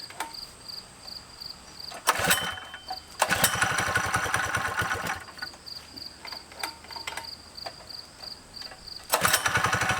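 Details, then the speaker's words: 55-year-old mini bike's small single-cylinder engine after fitting a custom undertail exhaust made from saved parts, popping along with quick throttle blips that settle back; crisp and healthy. "Sounds better, looks better. Have to wait and see how hot this stuff gets."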